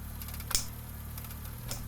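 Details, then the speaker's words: Car engine accelerating and lifting off or shifting, steady hum broken by sharp metallic clunks from worn engine mounts with broken rubber or leaking oil letting the engine move metal to metal. "si los soportes que lo mantienen estable no están en buen estado se escucha un golpeteo aparte de que se puede observar el movimiento del motor"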